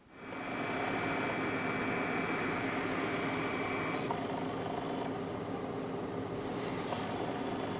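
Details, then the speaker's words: Stock AMD CPU cooler on Athlon 200GE, ASRock B450 Mini ITX, under medium load: steady soft fan rush with thin constant high-pitched whine riding on top, a really bad whine from the cheap stock cooler fan. "There is actually like a really, really bad kind of high-pitched whine that comes from that cooler."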